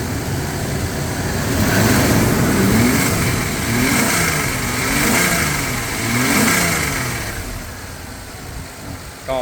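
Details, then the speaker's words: Mercedes-Benz W124 with Toyota 1JZ distributor engine after replacing water-damaged ECU: starts first try, quick throttle blips rise and fall cleanly with no misses or knocks; idles smoothly. "ก็เดี๋ยวมาลองสตาร์ทกันอืจะติดมั้ยอืตึ้มเดียวติดเรียบร้อยลองเร่งดู"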